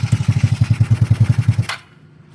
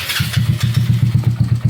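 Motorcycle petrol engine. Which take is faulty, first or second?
second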